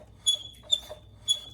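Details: 24-year-old Generac 10000EXL generator, Briggs V-twin, unrun eight years, rotated by hand: three short high squeaks, one per slow turn; magnetos suspected lightly touching, to be re-gapped, unconfirmed.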